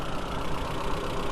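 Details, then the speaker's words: VW B5 Passat 1.8T just after oil cooler seal replacement and oil refill, fresh start; busy idle with light quick top-end tick already softening as lifters pump up: lifter tick, no leak. "you might hear the engine how noisy it is you can hear it ticking but it's getting quieter"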